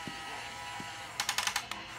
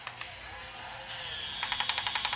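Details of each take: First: Top Race TR-113G RC front loader: light steady whir from the arm motor, then a quick string of about six sharp clicks at the travel limit; normal end-stop safety clutch, not harmful. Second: Top Race TR-113G 6-channel RC front loader lifting a full bucket of kitty litter; small motor whines up, then rapid sharp clicks as the lift clutch slips under load and the arm won't rise.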